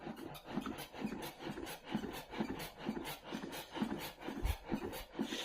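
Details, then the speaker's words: LG Direct Drive inverter washing machine: rhythmic squeak about twice a second as drum turns, heard on left side, worse with vibration on spin; caused by wiring harness pulled by drum movement, not silent blocks or dampers. "Слышно, что писк идёт по левой стороне, где-то здесь. Вот. Но я толком не могу понять, где."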